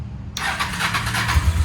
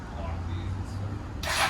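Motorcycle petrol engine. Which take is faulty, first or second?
second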